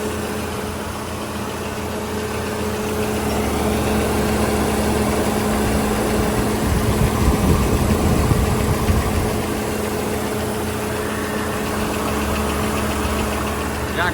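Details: Peugeot 307 SW idling after timing belt replacement, alternator service and power steering flush, charging 14 V under load, rollers and water pump checked; steady even idle, low smooth hum, no ticking, slapping or whine, healthy.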